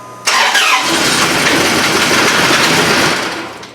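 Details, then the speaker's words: 4.7 HO V8 from an 03–04 Jeep Grand Cherokee, bought as a replacement for a Dodge Ram 1500, first start after a stall: fires right up into a loud busy idle with a tinny metallic rattle of unclear source; oil pressure comes up. "that's noisy where's that noise coming from it's kind of like a rattle hmm well it did fire right up what the heck is rattling"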